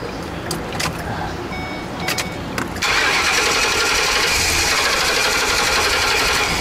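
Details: 2012 Ford E350 Econoline van with new fuel pump but still no fuel pressure, battery weak at first: a few clicks, then steady cranking about three beats a second with no firing; cranks but won't start from no fuel pressure.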